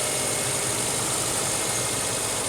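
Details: 2009 or 2010 Subaru Impreza 2.5-litre boxer idling, oil full on the dipstick: a steady, rattly knock under a harsh metallic clatter; rod knock on multiple rods from lack of oil, engine needs rebuilding.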